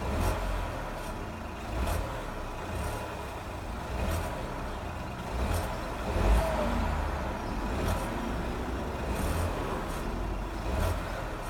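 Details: Ford Fiesta 1.0 EcoBoost feathering throttle at 1000–2000 rpm: low drone with rough gritty grinding bursts about every second; grinding persists despite a recently replaced turbo.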